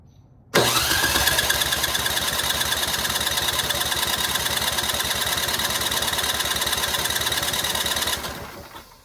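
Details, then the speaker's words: Simplicity snowblower engine with loose cylinder head, cranked on electric starter during compression test: even fast whir with regular pulses for about seven seconds; gauge reads over 120. "I like what I see. We're We're over 120."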